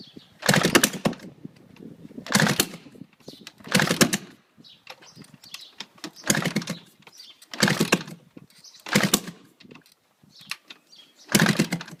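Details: GasGas 250 with exhaust off: repeated start attempts about every second and a half, each a brief sputter that never catches; engine tries hard but won't start.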